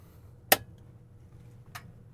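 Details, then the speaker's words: Pioneer M-22 Class A amplifier powered through a soft-start bulb limiter (300 W and 110 W bulbs in parallel): sharp click then fainter one as the protect relay engages normally once enough idle current reaches it. "And it clicked. I heard it. Did you hear that?"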